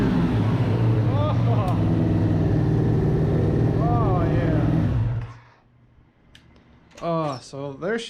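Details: 1994 Suzuki RF900 with replacement engine after the original blew, first start, warmed up a little: engine fires and holds a steady, even roar about five seconds without stumbling, then shuts off; running healthy.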